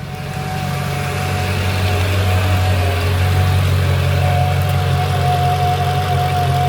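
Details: Mercedes CLK55 AMG with swapped M113K V8 after Hellcat fuel pump install, reading about 61–62, not yet warm: smooth, even idle with steady low rumble and faint pump whine, no misses or knocks; healthy.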